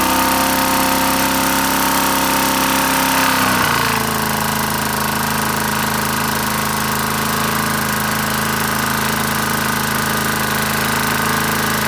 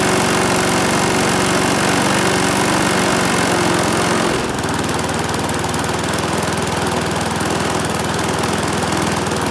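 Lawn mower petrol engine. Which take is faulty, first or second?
first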